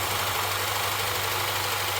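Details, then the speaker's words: Morris Minor A-series engine, first start in 20–30 years after oil change and points: low lumpy idle with periodic stumble, running on three cylinders because a spark plug lead was not seated. "sounds all right missing a little bit on one i think that plug there's coming off uh hopefully that ain't quite on right"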